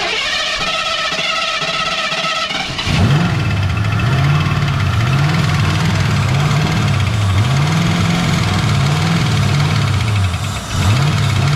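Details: Ford Foxbody V8 first start since 2006: starter cranks briefly, engine catches and settles into lumpy, steady idle with small rev swells; runs fine.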